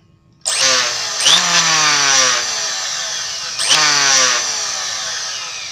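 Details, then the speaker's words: Electric wood planer screaming harshly in two bursts, each sagging in pitch, vibrating heavily and very loud, uncomfortable to use. "ini selain sangat bergetar suaranya juga kenceng banget jadi kita memakainya juga kurang nyaman gitu"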